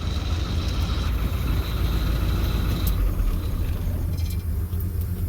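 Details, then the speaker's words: Deep, even idle burble with a steady low rumble, no misses or knocks, from a Satellite fitted with mufflers in place of former glass packs; normal healthy idle. "oh yeah that one's not dead yeah I was sitting there I was like is that the satellite running it is sounds good actually sounds better than on camera"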